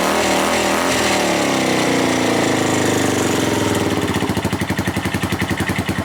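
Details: Suzuki GN250 single-cylinder after cam chain repair, running: loud even beat with loose rattle from unattached parts, no cam chain ticking; earlier ticking attributed to a loose cam chain, now gone.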